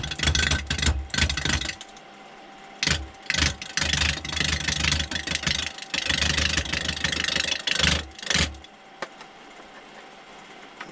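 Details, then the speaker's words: Roughing a 6x6 cedar blank for a lamp on the lathe: steady motor hum under repeated rough bursts as the gouge catches the corners, quieter gaps between cuts; normal roughing of an out-of-round blank. "You can see the roundness would be down here, so I have to take more than 1 inch off before I'm even close to being round, and that's just basically taking the corners off."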